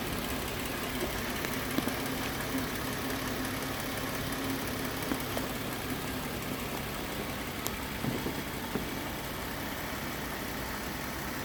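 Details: Toyota 4.0 V6 from a Tacoma swapped into a 1991 Hilux, lean misfire corrected: even, steady idle with no stumbles, pops or skipped beats, firing cleanly on all cylinders.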